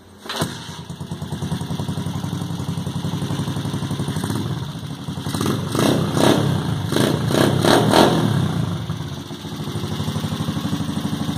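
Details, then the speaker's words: Homemade cross tricycle with a freshly rebuilt Honda CG 125 single-cylinder engine and new carburettor starts and idles unevenly with a few revs; light ticking over the exhaust beat is valve tap because the valves aren't adjusted yet. "Tá batendo um pouco de válvula, pois ainda não regulei certinho, tá? Mas vou regular ainda."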